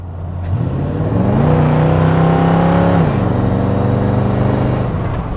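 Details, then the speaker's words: Square-body Suburban with a newly swapped SBC 350 V8, on its first test drive with the window open: the automatic kicks down, revs jump sharply and pull hard, then drop cleanly on the upshift. Kickdown works well and the engine is not overheating. "See how good the kickdown works. Let's open the window here so you can kind of hear."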